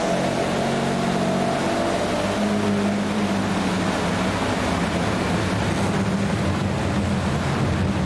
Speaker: You didn't hear the buzzing and rumbling of the skirt? Yeah, but I don't know what it means.